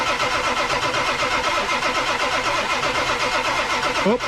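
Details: 1999 Ford F250 Super Duty 7.3 Powerstroke diesel, 4WD, unused over six years: extended cold cranking while oil primes the high-pressure pump and air bleeds from lines; starter turns over steadily, two to three beats a second, no firing yet.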